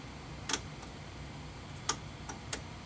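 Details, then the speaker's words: 1940s Standard Business Machines model 160 Magnescriber Deluxe wire recorder: few sharp, irregular clicks over quiet room hum as wire in the head groove closes a circuit activating the rewind and fast-forward relay; normal relay clicking. "When there's a wire touching in the head groove, it completes a circuit which activates a relay, which enables the rewind and fast forward to operate."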